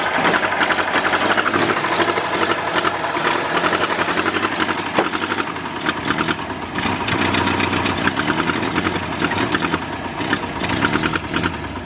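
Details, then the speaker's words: New V8 in a 1953 Ford project truck, first start after verifying number 1 at top, no coolant hooked up: keeps running on its own with a steady, busy clatter and even rhythm; engine runs. "Alright, I don't have coolant or anything hooked up to it, but I'm going to call that a success. It runs. Wow. She ran."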